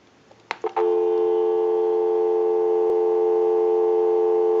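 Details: Clear Trimline telephone after repair, final checkout heard through an amplified pickup: a clean, steady dial tone after the handset lifts, with no crackle, hum or dropouts. Line and phone working properly.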